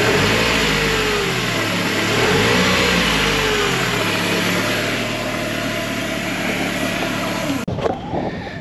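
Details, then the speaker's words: 1993 Mercedes-Benz 220CE (W124/C124), non-runner being revived, cable throttle: revs up, settles, then cuts out about seven seconds after the blip. Vibrating noise felt near the intake/throttle body; intake problem suspected. Stalling after throttle blip. "and there we go it just cut out straight away and there's some kind of noise up here no where's that coming from I can feel it vibrating"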